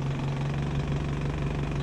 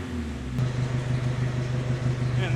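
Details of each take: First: 1972 Datsun 510 with KA24DET turbo swap, after exhaust repair and swapping polyurethane motor mounts for rubber: steady low drone with uneven lumpy beat; idle still low and slightly shaky but better. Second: 1972 Datsun 510 with a turbo KA24DET swap, idling after its broken exhaust was repaired and rewelded, still on polyurethane mounts: a steady, even idle with a low, soft exhaust note and no rattles, blows or ticks.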